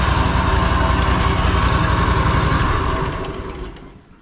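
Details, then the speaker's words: Riding mower, 500 hours, after repairing a rocker mount loosened by excessive valve lash, plus fresh oil and a cleaned air filter. Even firing beat with no top-end clatter, clean shutoff. Normal running after repair. "obviously that sounds a lot better guys no more loud clanking noises going"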